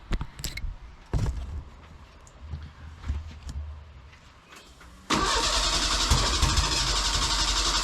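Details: Merkur XR4Ti after engine swap, fuel injectors cleaned, fuel pressure tested: scattered cranking and knocks for about five seconds, then catches and settles into steady even running with no misses; first successful start.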